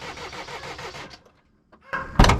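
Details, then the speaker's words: Van's diesel engine with glow plugs (believed OK, drawing current) at -7°C, warmed with a fan heater; slow, labored cranking about eight beats a second, a pause, then catches roughly; hard starting in extreme cold. "has difficulty in starting in the really cold weather despite it having glow plugs and I think the glow plugs are okay they take currents it's just exceptionally cold minus seven"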